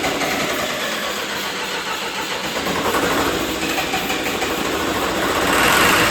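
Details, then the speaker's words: John Deere 450C bulldozer diesel, reassembled, injector lines cracked: long, even starter churning that never catches or speeds up; crank no start, no power to fuel pump and fuel shutoff solenoid. "I don't know what's going on. I'm gonna have to figure out why I'm not getting any power to the fuel shutoff solenoid."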